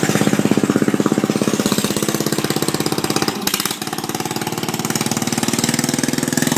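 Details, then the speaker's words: Murray mower converted to a mud mower running after rebuild with a new belt and belt retainer, before the muffler was fitted; crisp, even single-cylinder popping at fast idle through an open exhaust, no misses; normal running. "she done just took her for an amazing test drive she flew went great"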